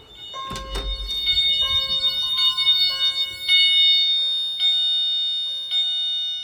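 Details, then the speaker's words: Fire alarm chime, jumper set to vibrating continuous, during a pull station test in a Christmas-themed system test; repeated high bell-like tones in slow succession, decaying between strikes; chimes sounding as intended. "I forgot to mention this is set on continuous chime. There's two settings on the back by a jumper that can that uh determines if it's going to do single stroke or vibrating. And it's set on vibrating continuous."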